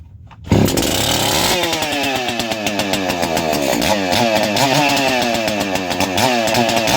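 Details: Ported Echo CS-590 chainsaw, two-stroke: sharp, high scream that revs up and settles with crisp, even response; strong, clean-running engine.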